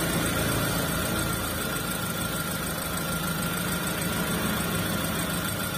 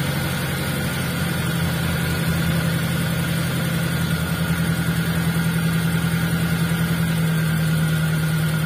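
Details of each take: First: T120SS fuel-injected vehicle after cleaning and greasing the ISC (idle speed control), fixing idle RPM slow to drop and hunting: steady even idle, RPM drops to idle quickly and holds stable with no hunting or misses; normal idle. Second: T120SS fuel-injected, idle: steady hum held high at about 1100–1200 rpm and slow to drop, caused by a dirty, dry idle speed control (ISC) valve before cleaning and greasing.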